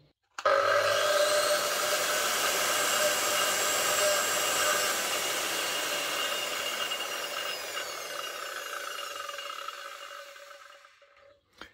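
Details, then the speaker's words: Parkside Performance 40V PWSAP 40-Li A1 cordless brushless angle grinder, no load: steady high whir winding down evenly as the disc brakes to a stop; angle gearbox slightly noisier than a Bosch, otherwise normal. "Mais vous pouvez écouter une transmission angulaire légèrement plus bruyante."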